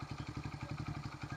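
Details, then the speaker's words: 1974 Honda XR75 single-cylinder, ignition timing checked on the fire mark, valve clearance temporarily raised to 0.004 in: even, settled idle with a light valve-train tick on top, now idling properly though still smoking. "You can actually hear the valve train now that's idling where it's supposed to be."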